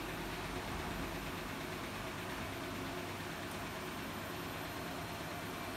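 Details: Siemens iQ300 8 kg 1000 rpm washing machine on spin program with wet laundry, extra rinse off: steady even whoosh and hum as the drum winds up to about 1000 rpm, no knocking or scraping; no fault, healthy spin.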